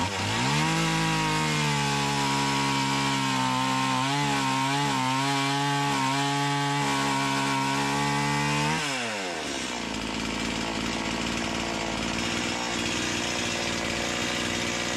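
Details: Stihl MS170 with Amazon replacement motor and a new Holzfforma carburetor, cutting black walnut: screams high then bogs and wavers under load, pitch dropping and recovering unevenly; owner says it sounds far more doggy than an OEM MS170; sluggish running.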